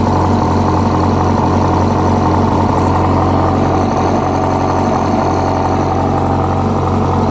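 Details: 2006 Yamaha R1 at steady idle, with an uneven tapping knock near four per second; a new updated cam chain tensioner made no difference, and the noise was found to be the #4 rod bearing.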